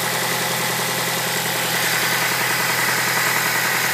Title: Mazda 6 engine knock